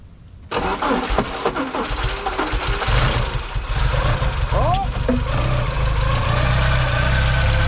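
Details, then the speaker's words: Car on its first start since 2014 after sitting for years: it cranks, catches, and then runs lumpy and uneven with a wandering beat; it is found to be out of fuel. "he hasn't Sparks Eric doesn't sound bad nope [Music] I don't like that sound she's out of fuel"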